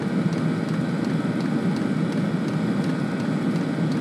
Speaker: so it's quite happily running just now and as far as it's concerned there's no errors